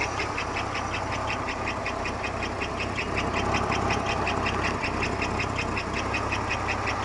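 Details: 1991 Buick Park Avenue 3.8L V6 at idle: quick, even ticking about 160 per minute, loud right after start, hot or cold, unchanged with accessory belt removed; performance and oil pressure normal; cause unknown; engine ticking noise.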